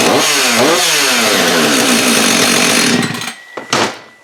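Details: Husqvarna 562xp AutoTune saw with a new spark plug, carburetor firmware unchanged: catches straight away and screams at an even high buzz for three seconds before cutting off; healthy.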